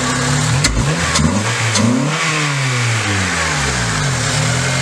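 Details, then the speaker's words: 2005 Honda Accord, K24A4 2.4 i4, just fitted with a cheap eBay short ram intake, warmed up: clean free revs climb and fall smoothly over a steady idle, with no whistles, stumbles or intake leaks; sounds good. "that sounds pretty good"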